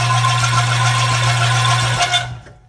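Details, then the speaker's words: Reel mower during backlapping, reel spun in reverse: steady motor hum with light, even rubbing swish of reel on bedknife, then winding down; normal contact during backlapping, before applying lapping compound. "And you can hear the reel onto the bed now."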